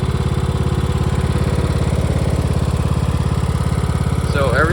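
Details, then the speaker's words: Riding lawn mower during spring tune-up, running: a steady single-cylinder thump at fast idle with a pronounced whine that is normal for this type, no knocks or grinding; sounds healthy. "So this one is whining quite a bit. So that's completely normal for these."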